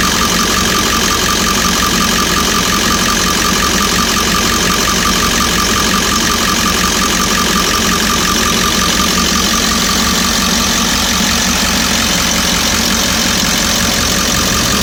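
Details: 1998.5 Ford E350 7.3 diesel idling, slight pop appearing as the engine warms up, with a faint irregular light pop or knock in the clatter; recent fuel tank delamination trouble, cause not confirmed.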